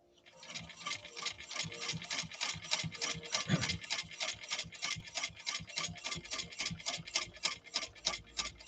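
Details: India-made replica sewing machine, flaw fixed, sewing thick stiffener with upper tension backed off: quick, even needle ticks at about three per second, no knock or drag; stitching smoothly.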